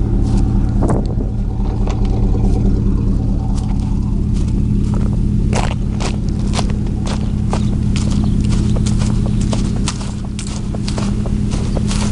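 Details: 2000 Chevy 4.8 V8 truck revved lightly with four coils deliberately unplugged, running on four of eight cylinders; rough, lumpy rumble with uneven ticking pulses over a low drone.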